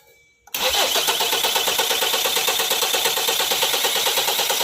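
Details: 2016 Kia Sorento: starter engages abruptly and keeps cranking at roughly three turns a second without the engine catching; hard starting, prolonged cranking.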